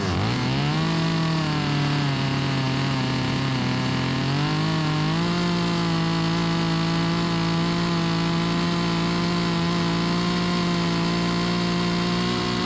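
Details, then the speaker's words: Stihl 025 chainsaw, 16-inch bar, after carburetor replacement for hot no-start flooding: revs up smoothly and holds a steady, even high-pitched drone without stumbling or surging, rips despite dull chain; normal running, may need slight adjustment. "It's pretty good. The chain need to be sharper, but ain't gonna win no contest, but pretty good. Rips, baby."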